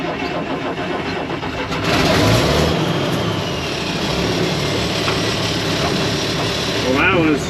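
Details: IH 4166 tractor diesel, sitting since about 2015–2016, fuel primed at injection pump: catches quickly after brief crank and settles into steady, even clatter; starts easily, runs normally.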